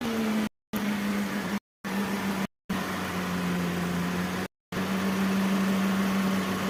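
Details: Mercedes W204, M271 engine, after replacing faulty cylinder 1 spark plug that caused misfire: even, steady idle hum with no stumble or missed beats; running smoothly.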